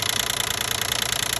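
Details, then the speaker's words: 2012 Nissan Maxima 3.5 L engine running: fast, even metallic buzz of roughly twenty taps a second; owner assumes the intake bracket. "it seem like something like I'm assuming like intake inake uh Sprat making a noise come from"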